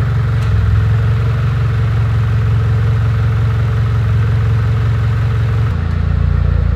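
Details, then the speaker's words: Mitsubishi Evo X, first start after over 2 years with a brand-new engine, fuel pump fed through a jumped relay: low, steady idle without knocks or misses, good oil pressure and AFR, slight smoke possibly coolant; idling well. "but it is idling good and it sounds good"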